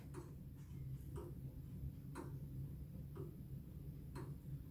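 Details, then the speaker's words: Comtoise clock reinstalled after a house move, pendulum bob just hung: the ticks land evenly, about once a second, in a regular balanced tick-tock, so the clock is level and in beat. "ça c'est un clic clac un tic-tac régulier si elle fait tic-tac tic-tac tic-tac tic-tac c'est un bon jeu d'observation"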